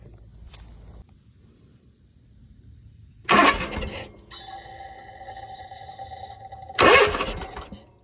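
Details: Zero-turn mower with 12 volts, spark present and a clogged air filter; fuel put in the intake still wouldn't fire, and the carburetor gaskets are failing. Two short cranking bursts a few seconds apart and it never catches; crank, no start.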